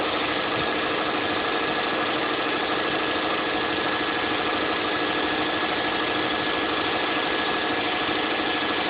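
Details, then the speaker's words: 2006 Saab 9-2X Aero, cold start first thing in the morning, no air conditioning on; fast, steady idle at about three beats a second, even and free of knocks, still settling toward warm idle speed, a normal cold idle. "This is what the vehicle sounds like from a cold start. First thing in the morning. I guess it'll reach idle at some point."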